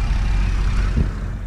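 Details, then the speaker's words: 2010 Chevrolet Camaro V6, manual, 110,000 miles, heard under the hood at idle: low even hum, steady beat, no ticks or knocks, one brief thump near the end; quiet, smooth, healthy idle. "Look at that. No real noises to speak of. That's a quiet engine, smooth running."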